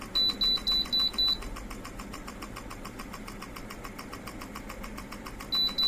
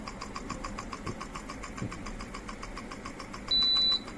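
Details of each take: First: Ceiling fan converted with a BLDC kit, running without blades fitted: a few quick beeps from the remote, then a faint, even whir at high speed with no rubbing or rattle; the motor runs cleanly. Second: Ceiling fan converted to BLDC kit motor, run without blades: fast even ticking (~5/s) over faint hum plus a short beep at high speed; without the blade load it speeds up then drops and won't run correctly.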